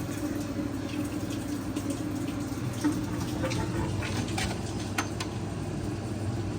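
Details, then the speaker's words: Maytag washer MVWB765FW1 showing codes F9E1/F9E2, on diagnostic test eight: the drain pump gives a steady low hum and faint gurgle with no pumping surge and does not clear the water; the drain pump was confirmed bad. "all right now eight I believe eight is drain pump yep eight I hear it running huh let's put some more water in it let's Let It fill up a little a little bit and see if it drains then"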